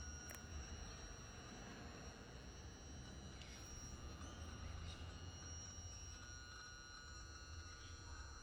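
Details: 2013 Triumph Tiger 1200 with key on, engine off: faint steady high-pitched electronic whine from the left side that stops once the bike runs; confirmed normal by comparing other Tigers.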